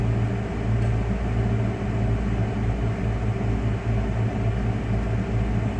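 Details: 1996 Dodge Ram 5.2 V8 after cleaning a very dirty throttle body and fitting a new IAC valve, hot day: low, even rumble with a steady beat, no dips or stumbles, and no stalling. The fix is judged a success. Normal idle.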